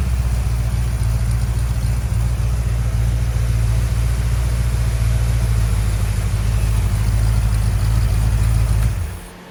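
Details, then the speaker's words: 1970 Plymouth Road Runner, freshly rebuilt 383 V8, first run in the car after a new temperature gauge, new upper hose, a fixed oil-pressure-line leak and a new fan switch: deep even rumble, no knocks or misses, then clean shutoff; normal running. "All right, so we did a little test run. This is the first time it's been running in the car."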